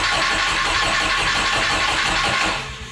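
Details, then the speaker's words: Chevrolet S10 with a boosted 3.0L boat engine and 6-speed manual, first cranking with new plugs gapped about 0.022–0.023: loud, uneven chuffing about three a second as it turns over on compression. Noisy cranking, cause unknown. "that's exciting well it sure isn't the quietest thing in the universe but it does seem like it's turning"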